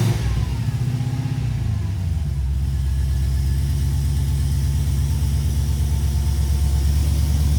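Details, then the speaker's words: Nissan 350Z with swapped supercharged Hellcat V8, first start, project unfinished; deep, even low pulse at idle building smoothly as it revs, no misses or knocks, healthy. "al fin salimos de la duda de Cómo suena un motor helc de un 350 Z es posible"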